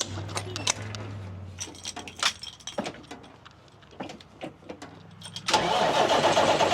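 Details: 1989 Marmon truck diesel being returned to service: clicks and rattling, then it catches and settles into a steady, even rumble; it holds air pressure, with a lot of water in the exhaust.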